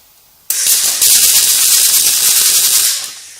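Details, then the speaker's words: Riland MIG 2000T multi-process welder on MAG setting, percentage turned all the way up: harsh, hissy crackle for about three seconds with no steady frying rhythm; wire feeding far too fast. "okay and the wire is going way too fast let's bring it down okay still going really fast"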